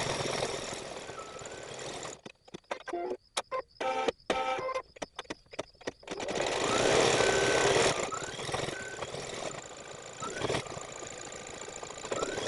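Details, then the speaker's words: Baby Lock Flourish 2 embroidery machine stitching through dark denim with white thread: stop-start stitching bursts with a hard, rapid thump on each needle stroke; dull needle, replaced with a size 80/12 needle. "I took the opportunity to change the needle real fast because I could hear it thumping into me that signifies that the needle is dull"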